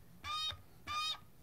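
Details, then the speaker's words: Swage-It hydraulic crimping tool crimping 5/16-inch wire rope with copper sleeves: two short, high squeaks about half a second apart, one per short pump stroke, as hydraulic pressure builds; normal for this crimper. "so you hear that squeaking noise that means it's building up hydraulic pressure to take the tool"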